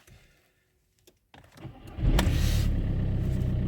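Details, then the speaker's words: VW/Skoda/Seat 1.9 TDI PD with non-start faults P0341 and P3008, after a timing belt job and a crank correlation test; with the injectors reconnected it cranks briefly and fires at once into a strong, even idle, engine light still on. "bang on right we're gonna have to have the ml light on obviously because we have um removed the injectors"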